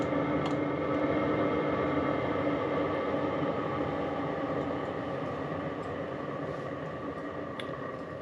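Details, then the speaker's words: HCalory diesel toolbox air heater just switched off, fan keeps running to cool the unit down (don't unplug until it stops): steady, even fan whir with constant hum slowly fading; normal cooldown run. "when you turn it off you'll hear fan still cooling the unit down so don't unplug it that sometimes will run for a little while"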